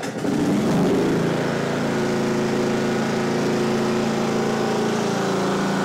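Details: Simplicity Regent mower, 14hp Kohler Command single-cylinder engine: steady putter holding even speed for several seconds without stumbling or dying; running normally.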